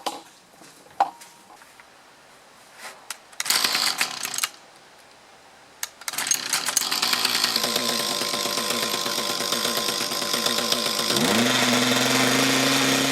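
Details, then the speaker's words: Mantis tiller with two-stroke Kioritz Echo engine, after cleaning dirt from around carburetor and fuel lines (it primes better); it fires up and revs climb smoothly with no bog on acceleration, though idle is not quite right. "all right so it doesn't block down on the acceleration anymore though the idle is not quite right"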